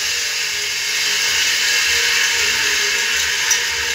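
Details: Customer's single-phase motor with pulley, run via reversing contactors (16 A at 220 V, 32 A at 110 V): constant high-pitched hissing whir over motor hum, no low rumble, bad bearing running rough.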